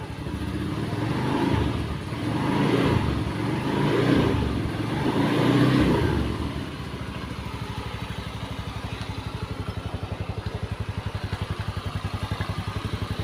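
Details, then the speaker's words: Honda Beat eSP after piston and cylinder block replacement, previously smoking with wet exhaust; four clean throttle blips then steady, even idle with no rattle; engine runs smoothly, normal idle. "Dan ini udah kita cuci, langsung mau kita tes, coba kita hidupkan teman-teman. Mesin halus."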